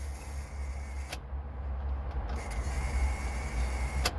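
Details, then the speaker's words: 2004 Honda Element, key turned to start: steady electrical buzz and sharp clicks from inside the steering column, engine does not crank; failing ignition switch, repaired by replacing the switch; often starts after repeated tries. "the noise is actually coming from inside here somewhere it sounds like it's coming from in here but it's some kind of a relay or something that's making the noise that's not getting the full power or something when you turn the key"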